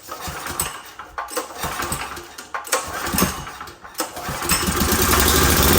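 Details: Old 5500 W gas generator, running after carburetor work, with a little diesel in the gasoline and the tank nearly empty; it catches, then runs choppy and uneven, and the owner expects it to smooth out after refueling.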